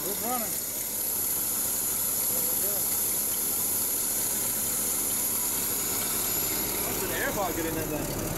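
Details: Small-block Chevy at first start in cold weather, slightly choked, after tapping on a sticking carburetor float: a thin, high, steady squeal over the rough idle from a loose, slipping drive belt.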